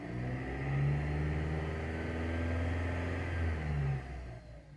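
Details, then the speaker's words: Dodge Avenger/Journey/Chrysler 200 petrol engine revved after the alternator, whose vibration caused a loud noise, was fixed: smooth low hum, no rattle or whine; oscilloscope confirms normal. "eso ya es el río normal del motor pero pues también como se dieron cuenta en el en el osciloscopio ya también se ve que no no"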